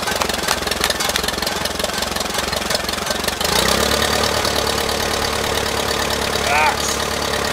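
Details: 1959 Case 300B (311B) tractor, simple four-cylinder gas engine, parked outside 10 years; ignition points just cleaned. Several seconds of ragged cranking, then it catches and settles into a steady, even run; starts and runs normally.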